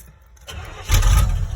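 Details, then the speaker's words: 1986 Chevy K10 carbureted V8 cold start on icy, snowy day, choke cable disconnected: short crank, then rough uneven rumble, pumped throttle needed; usually starts and dies four or five times before idling. "it takes like maybe four or five tries to get this truck to idle so there's it'll it'll start up and die a lot before it'll get to idling"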